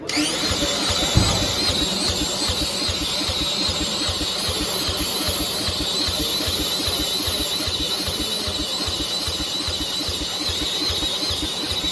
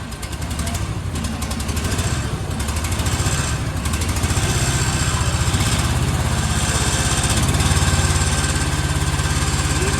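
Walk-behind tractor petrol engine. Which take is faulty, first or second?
first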